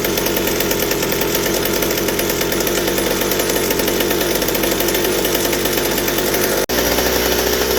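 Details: McCulloch 790 chainsaw frame with MC101 kart engine, new header and pipe, 3D-printed carb adaptor: sustained clean high-rev two-stroke scream at wide-open throttle, no four-stroking; carb can't dump enough fuel at high speed, lean up top.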